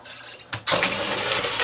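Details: Sony VO9800 U-matic SP VTR ejecting after elevator belt replaced for slipping; short whir then dense run of light clicks and clatter for about a second, ejecting better; normal tape eject.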